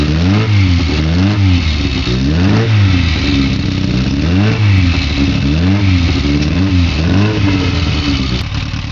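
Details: Engine on Weber 40 DCOE carburettors with an idle problem: speed rises and falls roughly every two seconds instead of settling, an unstable hunting idle.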